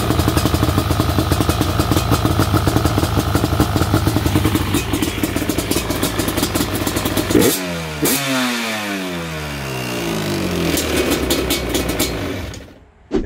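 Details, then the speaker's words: Yamaha Banshee twin two-stroke quad with dual petcock rebuilt; smoky, rich mixture, but sharp rasp revs up and drops back cleanly with crisp, even firing, running healthy. "good to hear the banshee run i really do love this quad"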